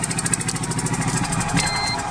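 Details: 1998 Geo Metro three-cylinder, in poor condition after sitting for years, idling after a spark check showed good spark: uneven, lumpy, off-beat chatter like a sewing machine; it misfires, running on only two of three cylinders.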